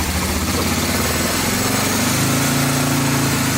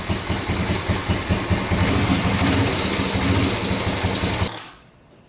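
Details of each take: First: 1986 Honda FourTrax 350cc 4x4 ATV after valve adjustment (clearances were loose, tightened); steady low single-cylinder idle, even beat, earlier ticking basically gone with only occasional tick. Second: 1986 Honda FourTrax 350cc 4x4 ATV, sat unused for years: single runs with a loud, slightly uneven thump, revs up and back down, then shuts off. Stalling from fuel starvation; owner suspects a dirty carburetor and bad fuel, plans a carb clean and fuel change.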